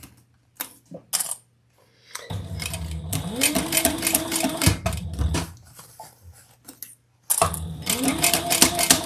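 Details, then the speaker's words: Sewing machine stitching a leather Louie waist pack: sharp, fast needle punches about three or four per second over the motor hum; the needle is loudly hammering through the leather while still sewing fine. "Can you hear it going into the fabric, making all that racket? It's sewing fine, but wow."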